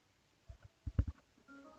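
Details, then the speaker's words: Samsung 40-inch TV after replacing two power supply MOSFETs, supply reinstalled: a few soft clicks then a short clear power-on chime with the CFL backlights on; it starts normally. "You can see the LEDs. Sorry, it's not LEDs, it's actually CFL bulbs. And you can hear the chime."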